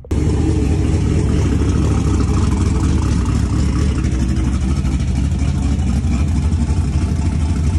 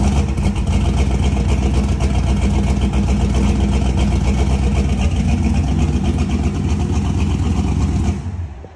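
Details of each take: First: V8 in a turbocharged car, after swapped wiring pins, back on eight cylinders: strong, even roar with no stumble or skipped beats; normal running. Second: Engine with a weird miss at idle; the same coils and coil extension harness gave this problem before, and a return-line fitting leaked from a wrong o-ring. Loud, lumpy, stumbling running that never smooths out. Suspected misfire, cause unconfirmed.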